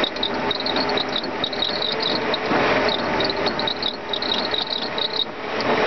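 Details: Mercedes M119 engine running: dry rasping, ratchety chatter with a high chirp around 4 kHz; the secondary air pump pulley is bad.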